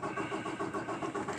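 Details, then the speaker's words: 2018 Peterbilt 579 diesel, hard-starting since new, priming pump assembly just replaced by the dealer, sat about 24 hours: third attempt, a fast, even starter churn with no firing until starter overcrank protection. Owner suspects lost fuel prime. "nope I only got it alright so that was the third attempt"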